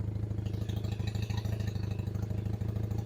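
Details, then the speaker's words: Honda CB175 twin, cold start on choke at about 1500 rpm: fast idle with uneven chuffing beat and irregular pops, left cylinder heard popping out its side; misfire at idle, cause unclear. "This cylinder, I could hear it popping out that side. See up the left side."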